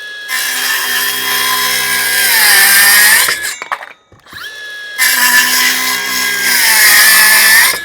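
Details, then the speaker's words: Milwaukee M12 Fuel 5-inch circular saw (2521-20) cutting treated 2x6: high steady whine sags in pitch near the end of each cut, then recovers; motor bogging under load. "you can hear that bogging on just a little [Music] bit"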